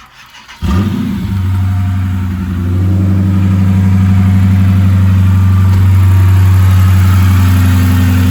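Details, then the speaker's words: Cold 2009 Dodge Charger Pursuit 5.7L Hemi V8, first start after Airaid cold air intake install, snowy weather: brief weak half-second crank, battery suspected, then catches and settles into steady deep idle; slow crank before start. "that's cold you hear the battery act want to start for a second"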